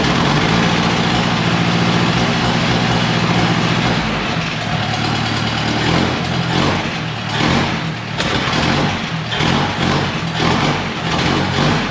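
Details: 1950s–60s "doodle bug", possibly a former golf-course or highway mower, refilled with about 2 gallons of coolant, water pump not turning, head around 180°F. Even, low idle with no top-end tapping; oiled rocker arms quiet. Normal idle.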